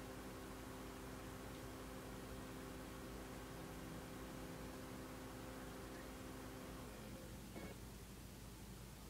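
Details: Dell Latitude D610 laptop: steady fan hum with faint even tones, no drive clicks or beeps; fan runs but laptop won't boot, cause unknown.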